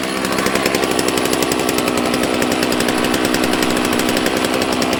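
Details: Used chainsaw from a batch that included Stihl 066s, not heavily abused, given fresh gas and a squirt of prime: crisp, rapid, even two-stroke firing with a bright, steady buzz. Normal running.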